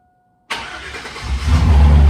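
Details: 1999 Chevy Silverado 2500 with a used 180k-mile 6.0L LQ4 iron-block V8 swapped in for one that died at 250k. On first start after the swap it cranks briefly, catches and settles into a steady V8 rumble: a clean start.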